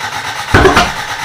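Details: Toyota Corolla being reassembled, cranking on fresh gas after old fuel found bad: weak cranking with no catch, then a loud exhaust pop; flames out the exhaust, no timing mark on timing light, ignition timing suspected 180 degrees out.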